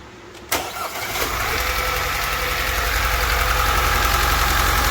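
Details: 2009 Audi A4 B8 2.0 TFSI: cranks, starts and idles with a light, fairly regular tick about four per second; engine ticking, source not identified.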